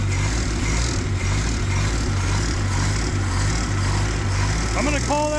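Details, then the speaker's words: Mustang skid loader engine cranked at the starter solenoid while throttle worked by hand: lumpy, uneven, surging, barely keeps going; rough running from a tired engine. "running. How about that? So, I don't know if you'd call that functionally running, but I'm going to call that say that it runs."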